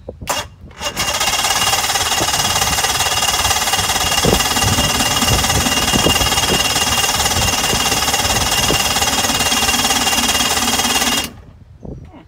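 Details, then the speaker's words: 2005 Mercury 115 two-stroke outboard on a 17ft Mako cranks about three and a half strokes a second but won't fire after a quick shot of starting fluid; no spark is suspected, or too little fluid. "So it seems like right now we may not be getting spark, but maybe I didn't hit it with enough starting fluid."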